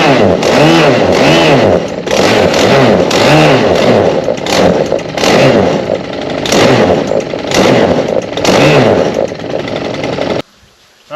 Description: Stihl HT131 Pole Saw The Chain Stopped Moving. / Diagnose and fix chain stopped while cutting. Engine still runs.